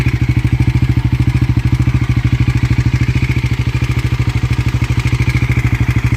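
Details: Bajaj Pulsar NS400 idling steadily with a sharp, regular tick on each beat, about three a second, from the top end; engine ticking noise, cause unclear.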